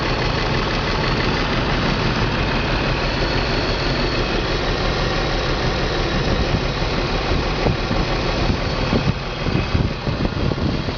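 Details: BMW 325 M54 every-morning cold start: rough, uneven idle with irregular stumbles, misfire codes on cylinders 3 and 5, sometimes 4; CCV, plugs, coils, fuel filter replaced, injectors cleaned; misfire stops when warm, cause unknown.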